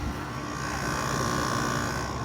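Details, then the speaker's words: Kenmore 5200 BTU air conditioner with a Rechi Precision rotary compressor on low cool: steady low hum with an even tone and no knocking as the compressor kicks on and runs normally, getting cold. "Your compressor's now on. That's getting cold. It's actually getting nice and cold."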